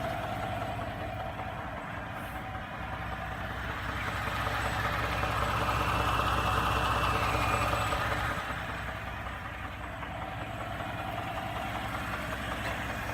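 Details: 2017 Ford F-150 EcoBoost truck idling with a very distinct, steady, regular engine knock about two and a half times a second, starting within a few minutes of a cold start and within a minute of a warm start.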